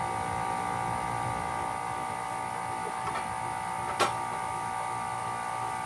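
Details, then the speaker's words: Failing AC condenser fan motor: a steady electrical hum and buzz with no airflow. It first shows zero amps, then gets a late start and is over-amping, judged no good. "See it getting that late start. It ain't no good though. And it's over amping big time."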